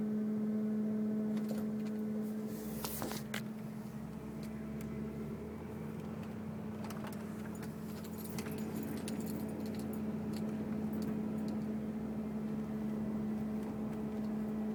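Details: 2002 Mercury Grand Marquis, 105k+ miles, parked: intermittent steady low one-pitch hum from the engine compartment with faint rattles and clicks; random, unrelated to bumps, speed or gear, gauges normal.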